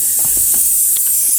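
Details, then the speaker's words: Turbo car pressurised with boost leak tester from air tank before dyno: loud, steady high-pitched hiss of escaping air, a big boost leak in the intake piping. "all right now for the boost leak portion of this we have the booths leak tester set up to our tank and as you can probably hear I"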